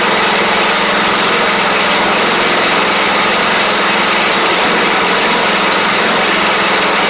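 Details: Troy-Bilt Pony riding mower, first start of the replacement engine on fresh gas after the seized original was swapped out: steady, even single-cylinder drone at constant speed, no knocks or misses; runs fine, though it smoked out the garage.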